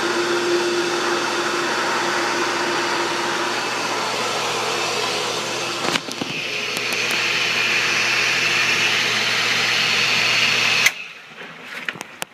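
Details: Pool pump motor running with a steady loud whir, low hum and hissy top end, then cutting off; owner suspects a failing shaft seal or bearings, possibly from running dry; not confirmed.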